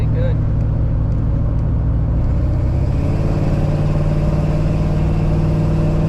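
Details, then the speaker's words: GMC pickup on a test drive after replacing the old distributor to cure misfiring under load: strong deep pull rising in pitch at wide-open throttle, no spark knock or pinging, some wind and road noise; normal acceleration. "wide open throttle I'm not hearing no spark knock"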